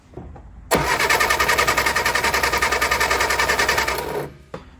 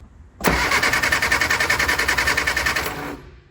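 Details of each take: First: Barn-find Austin Mini 850 pickup stored 30 years, after cleaning starter switch contacts, cranked with ignition on to check points spark: even quick chug about three and a half beats a second; normal cranking, no firing. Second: Barn-find Austin Mini 850 pickup stored 30 years, rotor and cap cleaned, spark now present at the plugs: steady cranking at about three and a half turns a second with even compression beats, never catches; no fuel yet.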